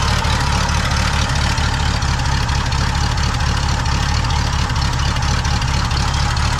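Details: Pontiac V8 just fitted with a rebuilt Holley 600 vacuum-secondary carb on an adapter, float adjusted and plugs cleaned: steady lazy thumping idle with dull soft exhaust beat; ignition timing badly retarded, carb also leaking.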